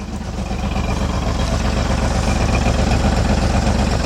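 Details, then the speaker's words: 2003 Jeep Liberty Sport 3.7, 133,000 miles, before partial engine rebuild: loud heavy pulsing at idle about four beats a second with deep rumble, smoke, raw gas and burning oil smell; abnormal engine noise. "a little smoke I'm smelling with hey big noise oh no no no we can't run this too long at all but I smell raw gas back there and then smell oil burner"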